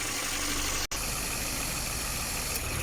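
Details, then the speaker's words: Subaru at 68,000 km, after repairing a leaking evaporator and draining/refilling compressor oil: steady, even whoosh of both condenser fans over a smooth idle, no rattle or grinding; fans and now-quiet compressor sound healthy. "REเสียงคอมแอร์ก็เงียบลงนะคะหลังจากที่เราถอดคอมแอร์ออกมาถ่ายน้ำมันคอมและได้เติมน้ำมันคอมใหม่เข้าไปชดเชยนะคะ"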